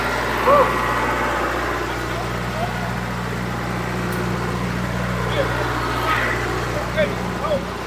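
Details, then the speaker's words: John Deere 455G track loader, about 1991-92, diesel reportedly last started a year or two ago: steady even low diesel rumble, no knocks or misses, smooth healthy idle. "But you just when you turn something over, it's even something here that makes two rounds and start. It's really impressive."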